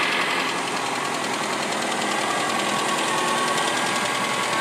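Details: 1997 Saturn SC2, rough cold start after sitting: faint, uneven knock about four times a second under idle; began after first high-RPM run since purchase six weeks earlier, source unknown.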